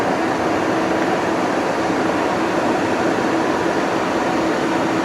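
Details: 2020 Tesla Model Y on the charger in a hot Arizona garage: constant loud rushing air with low steady hum as the fan runs flat out to cool the battery; overheating stops charging; condenser/radiator area being cleaned of debris.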